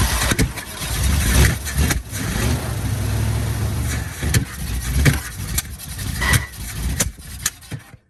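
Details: 1972 Chevy K10 4x4, 350 V8, sat 20+ years, fuel bowls refilled: catches and stumbles unevenly, surging and sagging several seconds, then cuts out; good oil pressure, owner suspects fuel delivery.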